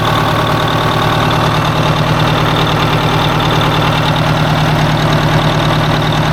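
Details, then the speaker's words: 1980 Peterbilt 359 diesel just started on fresh batteries: loud idle with a stumbling beat as a cylinder drops out. One cylinder is clearly the coldest on one side; it needs a tune-up. "I think it's that one jeez tell me you need a tuneup without telling me you need a tuneup that one's definitely the coldest"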